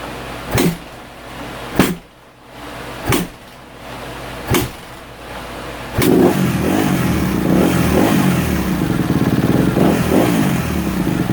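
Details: 2016 Kawasaki KX250F, restarted after about 5 minutes cooling from hot, fuel pump briefly disconnected and reconnected: four spaced kick attempts, then catches and settles into steady even run with no misses; normal start.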